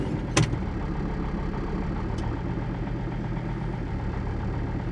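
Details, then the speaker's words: 22-year-old camper van diesel, coldest-ever start in extreme Arctic cold on Alaska's North Slope after running glow plugs twice, nearly stalling, a little gas given: low uneven pulsing idle with faint stumble; rough cold idle. "It's not the smoothest idle I've ever heard, for sure, but oh, I'm so glad to hear it."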